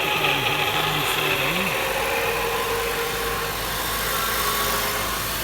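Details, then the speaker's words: 2014 Honda CR-V on a lift, wheels driven: constant scratchy grinding roar with wavering drone like a wheel bearing, noise at about 40–60 mph; worn drive shaft center carrier bearing. "Sounds like a wheel bearing, but it has a scratchy noise to it as well. So, carrier bearing."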